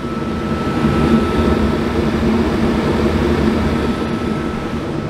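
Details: RV propane furnace checked after LP leak detector alarmed all night: smooth, steady roar of blower and burner with faint constant whistle, no popping or surging; exhaust now smells much better, furnace firing normally.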